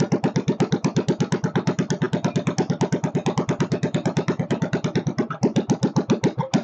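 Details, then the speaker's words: Kohler K301 stationary single-cylinder engine, first start after checking over, chainsaw mix added for lube: thumping about 105 beats a minute but uneven, wandering and stumbling; idle speed needs adjustment. "oh she needs a little adjustment on the idle circuit not idle circuit the idle speed I should say"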